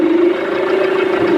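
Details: Tata Harrier at idle with the steering wheel turned: a steady mid-pitched whine from the power steering pump, caused by degraded steering fluid that was never changed. The ball joint and both-side suspension arms are also worn.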